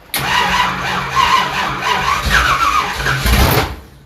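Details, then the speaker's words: 1972 Ford Gran Torino 429 big-block V8, first start with wiring issues: engine catches and roars unevenly about three seconds while the starter keeps whirring underneath; starter stays engaged, wiring faulty. "the starter keeps going see it foreign nice too ready"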